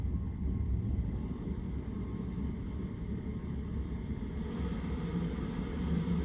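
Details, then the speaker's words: Chinese diesel heater in a van, running at temperature on a not very cold day: soft low rumble with a gentle, steady chuffing pulse, no rattles or squeals. Normal operation, not irritating even to sensitive ears. "It's kind of like this lulling choo, choo, choo, choo. It's not irritating. I have really sensitive ears in terms of little small noises that irritate me, and it doesn't bother me."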